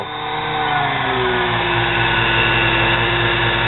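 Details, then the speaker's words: Nano lathe motor tagged 110 V, run through its controller board from a variac: high motor whine surging up and down instead of holding steady; speed hunting, cause unconfirmed. "when you go up it sounds better than doing this i can hear it going up and down"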